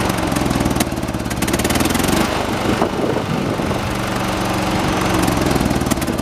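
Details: 1986 John Deere 216 16 hp single-cylinder tractor during carburetor adjustment outside: fast, steady thumping with shaky hum, speed sagging briefly midway then recovering as mixture is turned; heavy shaking said normal for these engines.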